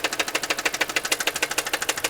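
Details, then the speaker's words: Car with 235,252 miles at idle: sharp, even ticking knock about six or seven times a second; knock sensor replaced without effect, noise persists, shop says internal. "I changed out a couple things also replace the lock sensor which didn't have anything to do with this knocking and the noise still hasn't gone away"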